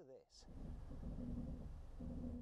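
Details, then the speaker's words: Genesis GV70 SUV creeping at low speed: deep drawn-out groaning rumble from noisy brakes, like a sinking ship. "los frenos son muy ruidosos cuando vas más lento escuchen esto"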